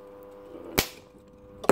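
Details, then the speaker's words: Homemade spot welder with a 555 timer circuit, still a work in progress: two sharp cracking snaps about a second apart over a faint hum; the electrode tips arc instead of making a clean weld. "So if I'm right, I won't hurt myself. If I'm not right, it will. So you can hear it arcing."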